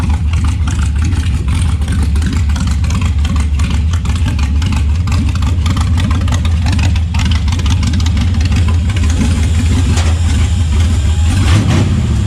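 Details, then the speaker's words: LS1 V8 truck running after wrong firing order corrected, following fire damage and over-fueling issues with a new regulator fitted: deep, heavy burble that stays even and rises cleanly with throttle; normal idle and revs, all eight cylinders firing. "for some reason the firing order was out so he plugged fixed a few things there and fired it up and holy that's the sound i wanted not um not what we're getting before"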